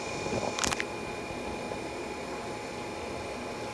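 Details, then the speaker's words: 1965 Sony consumer video tape recorder, after adjusting the servo free-run speed control: steady even hum with constant high whine and one brief click, drum no longer rolling; normal head drum speed. "This is the control to set the servo free run speed. If you listen, you can hear the servo. Okay, just tweak the drum like this to free speed, no more rolling."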